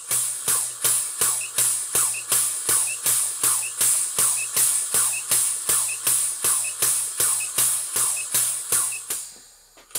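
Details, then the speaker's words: Horizontal Southworth 12-inch miniature boiler feed pump: crisp, even beats about 160 a minute, each with a short high chirp; squeak from insufficient lubrication, the oil pump needs adjusting to deliver more oil. "The oil pump needs adjusting, it's squeaking a bit, insufficient"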